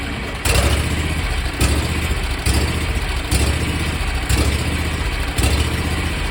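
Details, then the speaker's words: 27 hp Kawasaki zero-turn mower engine cranked hot after use, on a relatively cool day: slow rhythmic cranking surges about once a second that never catch. Owner suspects the carburetor fuel shutoff solenoid blocking fuel. "what what led me to it when i think the problem is is the fuel shutoff solenoid in the carburetor uh that keeps fuel from getting pushed in"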